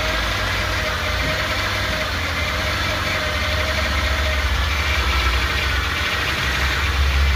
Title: 2007 Nissan Altima. What is that noise